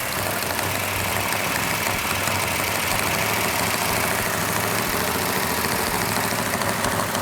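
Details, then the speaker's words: Fresh 1967 Plymouth GTX 440 Super Commando V8, initial startup: loud steady fast idle with valve-train clatter, normal for a new engine; rpm held up for cam break-in. "got a little bit noisy valve train which is normal on a new engine we're going to hold the rpm up so the can can break in"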